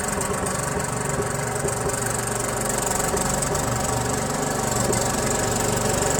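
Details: Second Troy-Bilt lawn tractor with Briggs Intek engine, original carburetor: rough, irregular knocking pulse about four a second, hunting rather than holding steady idle; the mixture screw does little, so the carburetor is to be swapped for a Walbro.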